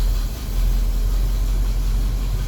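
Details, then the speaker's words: 1976 Chevrolet K5 Blazer Cheyenne V8 with headers, showing about 20,000 miles, after sitting in a field 7 years: cold start settles into a deep, steady, even rumble with no knocks or ticks; good oil pressure, possibly no thermostat. "Here's a cold start. Yeah, it has headers."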